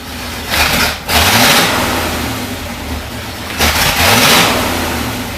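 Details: 1973 International Loadstar Blue Bird bus engine, after an accelerator pump diaphragm replacement, revs strongly and cleanly in two bursts and settles to a steady idle without stumbling. It has good oil pressure and sounds healthy.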